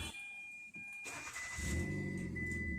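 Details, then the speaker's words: Hyundai i10 Grand, push-button start, intermittent start/no start: chime, engine fires and RPM needle rises, then it shuts off; check engine and security lights behave abnormally, immobilizer-type cut suspected. "see its shuts off RPM needle just come up and then goes down"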